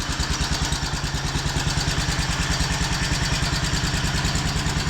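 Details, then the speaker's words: Wheel Horse C-120 tractor, 12 hp Kohler single, unused for several years, new battery: crisp, even thump at a steady rate, no misses, quiet running after a small pop at first start; normal. "I can't get over how quiet it is. Listen to that. That runs like a top. I am so happy."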